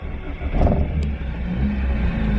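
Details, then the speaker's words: 1987 Honda CRX HF 5-speed, sat about 7 months, head gasket and timing belt redone probably under 15,000 miles ago, runs warm in traffic: once warm the idle swells and sags and needs throttle to stay running, cause unconfirmed. "Now it's kind of warmed up. I gotta kind of keep the foot on the gas a little bit."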